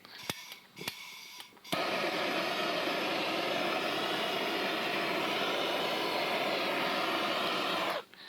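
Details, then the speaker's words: Coleman Air-O-Gas cabin stove flooded during preheat: a few soft pops, then a steady, even roaring hiss as fuel puddled in the base burns off. Finding: flooded stove burning off pooled fuel. "it's all right we'll let all this stuff kind of burn out because there's uh there's fuel that's just puddled down in there so we'll just kind of let that burn down a little bit"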